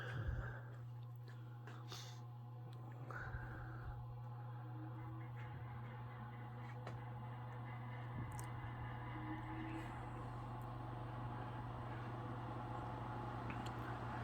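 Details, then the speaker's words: 1954 Emerson 24-inch pedestal fan, model K60-TB, after cleaning, a new cord and toggle switch, and temporary non-motor grease in the bearings. A steady motor hum carries a light, uneven rattle from the loose back guard, with the bearings still faintly audible. "and rattle inside you here is the back guard it's a little loose but much smoother you can still hear the bearings just a little bit"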